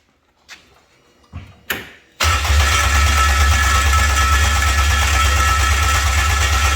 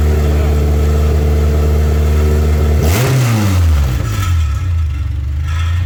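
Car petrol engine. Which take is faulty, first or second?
first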